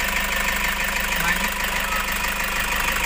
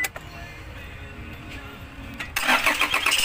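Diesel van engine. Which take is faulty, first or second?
second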